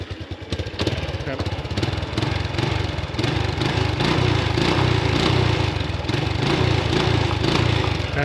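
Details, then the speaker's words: Honda Wave 110i after engine repair, test after completion, trouble codes cleared: quiet, starts easily, small single revs crisply on throttle blips and drops back cleanly, even exhaust beat, no knocks or rattles. "เสียงเงียบสตาร์ทง่ายครับไม่มีเสียงดังรบกวนรำคาญไม่มีนะครับฟันก็ไม่ไหลแล้ว"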